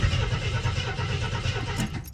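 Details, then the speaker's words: AMC Concord parked 26 years since 1997, after a backfire: sluggish, labouring crank pulses that drag and fade without catching; starter turning slowly, battery suspected dead, not confirmed; it also won't idle. "battery sounds like it's gone. Just wait a second."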